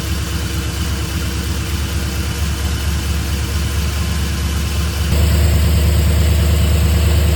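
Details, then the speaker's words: 1969 Buick GS400 V8 with Holley Sniper II EFI fed by stock fuel pump into an Edelbrock fuel sump, just started: deep, even burble stepping up slightly in speed, smooth and steady; normal idle. "We'll check fuel pressure um and just let you hear this thing run."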